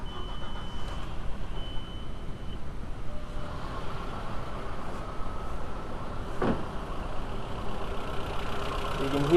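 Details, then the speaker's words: VW B5 Passat 1.8T just started after oil cooler seal replacement and oil change: rough noisy running with light quick top-end tick as drained hydraulic lifters pump back up, getting quieter already. "start it up make sure the oil light goes out the oil light is this little red one you might hear the engine how noisy it is"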